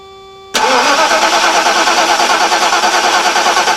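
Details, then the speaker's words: 1991 Mercedes-Benz 420 SEL (W126), cranking with engine disabled on a newly installed Deka Intimidator AGM group 49 battery, voltmeter connected; brisk, even cranking about three compressions a second without slowing: normal cranking, strong battery. "we'll see how it sounds and also see how long it will crank for"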